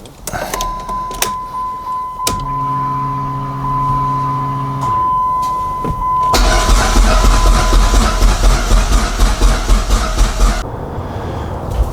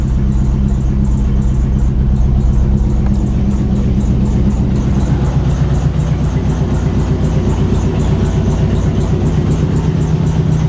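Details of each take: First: Dodge SRT-4 with a newly installed Walbro 255 fuel pump: a chime and short pump-prime hum, then about four seconds of even starter cranking that never catches. It cranks but won't start; a friend suspects a leaking injector. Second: Dodge SRT-4 first start after about a year, just after all injectors were replaced with stage two/three injectors. It fires up and settles into a steady, even idle with a light regular tick and a little smoke. Runs well.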